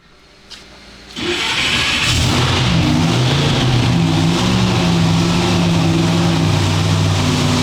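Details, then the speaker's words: Engine running on the dyno after its timing mark was found 20–25 degrees off and re-marked at top dead center; revved to check. Strong, steady, even beat with no misfire or knock; timing sounds right. Normal running. "Alright, so now I'm just going to rev it up, just make sure everything sounds good."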